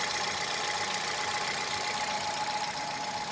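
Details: Hyundai Solaris engine knock, hot, on 5W40 oil (1.6 126 hp automatic at 60,000 km or owner's 1.4 at 18,687 km): light, fairly steady tapping about two per second over a hissy idle; cause not found.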